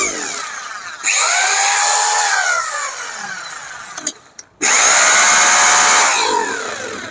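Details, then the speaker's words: Serviced hammer drill, bearing replaced for a harsh grinding noise, switched on and off: spins up to a steady high whine, stops, then runs evenly with no grinding or rattle. It works well after repair. "Drill ഇട്ടത് നല്ല അടിപൊളിയായിട്ട് working ഒക്കെ ആവുന്നുണ്ട്."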